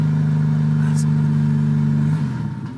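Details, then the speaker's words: 1999 Honda Civic turbo D16Y8, after thermostat install and coolant burp: steady idle hum sags and dies as soon as throttle is blipped; owner suspects failed fuel pump or air pocket, plugs fouled, main relay tested fine. "Seems like it's a fuel thing to me. It seems like my fuel pump might have shit the bed."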